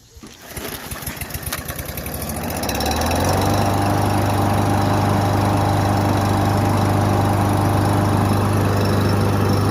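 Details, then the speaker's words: Husqvarna 5521P 550ex 140cc push mower, pull-started to a steady idle with a light regular tap about three to four times a second; cause not yet known, to be investigated further. "sounds like a little tap it noise going on but i don't know"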